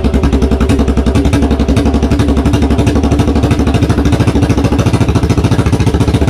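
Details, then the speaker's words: 1982 Yamaha XV920 cafe conversion, first start after a 10-month strip-down and rebuild: loud, hard, uneven unmuffled popping at fast idle, about three beats a second; open exhaust. "that is loud isn't it"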